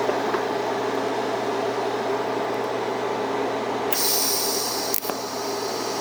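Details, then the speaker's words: TIG welding a lap joint on cold rolled steel coupons at about 100 amps, too little heat: steady even arc hiss with faint hum, no crackle; weld looks porous, filler rod stuck, current to be raised to 110–115 A. "I got my filler Rod stuck okay there that is not great looking a little porous um and it's not quite enough heat I'm going to crank it up to 115 and we'll try this again"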